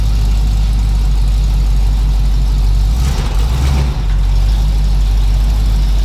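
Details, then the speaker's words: 1981 Cutlass Supreme small-block Chevy V8, running outdoors after the valve lash, spark plug and timing/HEI repairs: a deep, steady idle with a quick throttle blip midway that settles back smoothly. Normal idle. "Dude, I can't believe it's in the freaking daylight. And it sounds happy. It sounds insane."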